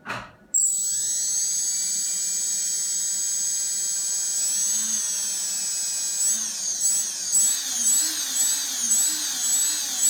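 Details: RS2205 brushless motor: sharp high screech that starts with the motor and holds steady, then wavers as speed changes; something wrong inside the motor.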